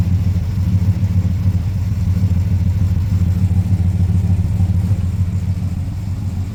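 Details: Ford Falcon XD 351 V8, carburetor, after start with excess fuel: lumpy uneven idle, deep irregular chug about three beats a second, revs wandering; owner suspects vacuum leak and alternator issue; rough idle.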